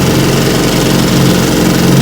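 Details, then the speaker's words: 1950 Johnson TN-28 5 hp outboard after restoration, bayou test run: steady, even two-stroke putter at low speed with no misses or knocks; runs smoothly and healthy. "johnson five horsepower taking it for a test run she runs pretty good let's see what she can do not bad very nice"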